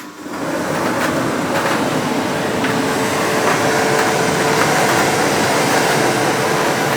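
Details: Ariston 8 kg Class A tumble dryer running a test load of wet cloth after the motor bearings were replaced: even, steady whoosh of the drum with a faint constant tone and no knocking or grinding; it runs smoothly.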